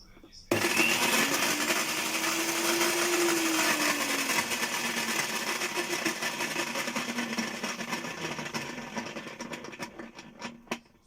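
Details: Moulinex meat grinder running with a foreign noise: motor hums with a sagging whine under a harsh, rasping grind throughout; gearbox fault suspected, motor found in normal condition.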